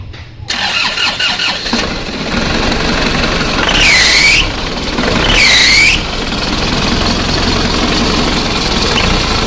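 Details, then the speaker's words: Isuzu Panther diesel starting and idling with two short high squeals; the squeal comes from a very loose alternator (dynamo charge) belt. "jadi aku jawaban yang suara mencicit pada mesin tadi itu adalah di pandai-pandai nah pandai dinamo charge ini sangat kendornya ini sangat vendor"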